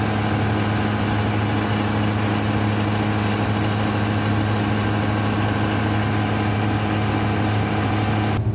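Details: Denyo DCA610SPM diesel generator after magnetic pickup and wiring checked: steady, even idle with a smooth low drone, no knocks, misses or hunting; running normally.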